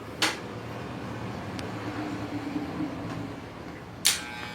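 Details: Electric hair clipper fitted with new blades runs with a coarse, steady buzz and does not cut, from a loose blade arm; sharp clicks at start and end.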